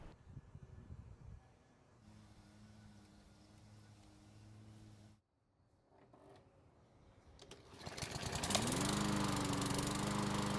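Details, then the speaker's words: Craftsman mower that sat long in a garage and would not start, after repair with recoil assembly replaced: it pops into life, then settles to a steady even drone with no misfire or surging. "So it's been running for about 5 minutes and it should be close to normal operating temperature."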